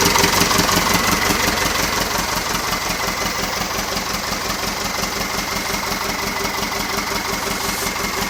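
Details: Nuffield 805 tractor diesel, first start after a full engine rebuild, having lain 10 years in a field. Loud at first catch, then it settles into an even low-idle chug with no knocks or misses: a healthy idle.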